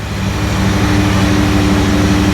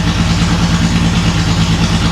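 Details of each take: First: Datsun 280Z barn find off road 18 years, after new injectors, warming toward temperature; steady even six-cylinder idle with smooth low pulse and constant hum, no misses or knocks, slightly smoky but better than before; normal idle. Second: Datsun 280Z barn find, off the road 18 years, after new injectors and clamping fuel lines: low lumpy idle with a pulsing beat that never settles; runs no differently than before, then dies; cause not yet found.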